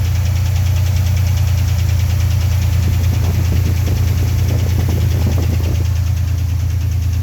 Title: 1990 Chevrolet Cheyenne 4.3 knocking noise